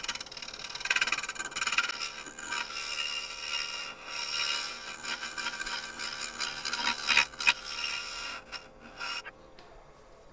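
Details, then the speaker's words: Lathe turning a seasoned, highly figured English walnut closed-rim bowl, teardrop shear scraper on the bottom corner under light pressure: uneven raspy scraping with sharp snatches as the edge catches on the pith; tool catch. "You could hear it was catching on the pith down there. And luckily, I was a didn't have a lot of pressure on it."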